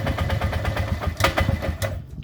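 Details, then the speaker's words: 1998 Polaris Sportsman 500 4x4 with hard starting, no idle or rev: fast choppy single-cylinder putter that stumbles and dies when the CDI is plugged in, though it runs fine with it unplugged. Owner blames the CDI box or the kill/start switch. "Unplug the CDI ground and redo it again and start it up. And it'll run fine. It'll run good. [Music] They run good. They run fine. So again, but when I plug in my CDI coil, my CDI pack, it'll uh die."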